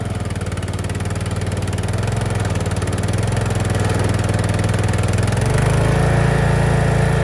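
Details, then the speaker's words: Craftsman LT1000 yard tractor, long-sitting: single-cylinder thump about four beats a second deepens and drags as load comes on, as if the drive is binding; burnt clutch smell, front belt smoking, rear gears suspected; unconfirmed. "Nope. Smells like burnt clutch. Smoking a little bit from the belt in the front. I think it's the gears in the back."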